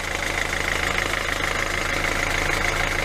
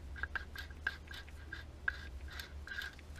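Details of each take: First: 2012 Hyundai i40 1.7 diesel just restarted after an alternator clutch pulley replacement for a high-pitched squeak: a steady, even idle with no whine, rattle or chatter from the belt end. It is now quiet, before warm-up; the old pulley's clutch was damaged and clicking. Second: Hyundai i 40 1.7 D 2012 Alternator Clutch Pulley Replacement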